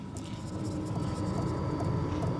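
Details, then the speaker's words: Sunster TB10 diesel heater running on level two, microphone right next to the unit; faint light ticks about two and a half per second over a steady low hum: normal fuel dosing pump ticking, inaudible from 3-4 feet away. "right next to it you can kind of hear the ticking sound but this being 3 4T away from you outside you're not going to hear that at all"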